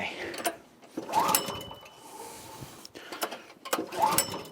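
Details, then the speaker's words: 1984 Troy-Bilt tiller repowered with a 6.5 HP 212cc Predator engine, first start of the season: a few ratchety pull-over bursts, never catches; apparently no spark, dry plug. "Doesn't sound like it's getting spark or anything."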